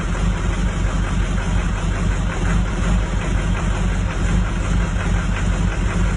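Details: 2004 Duramax diesel at idle: deep, uneven thumping at about three beats per second with no settled rhythm; rough idle, cause unknown.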